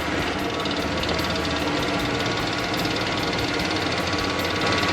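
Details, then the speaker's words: 1966 Ford Mustang with a temporary clicking electric fuel pump drawing from a gas can straight into the carburetor: quick steady clicking about three or four per second over the running engine; pump delivering fuel normally. "so I've got this click clack pump hooked up it's pulling gas out of that can down there and the output of that pump is going directly into the carburetor can hear it running"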